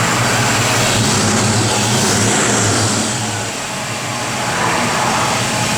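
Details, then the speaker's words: 1953 Ford F100, frame-off restored with about 1300 miles since, 351 ci Windsor V8, Edelbrock 4bbl carb, Flowmaster dual exhaust: steady V8 running under outdoor noise, no knocks or misses; runs sweetly, normal healthy engine. "Man, just a little sweetheart the way this thing runs too, man."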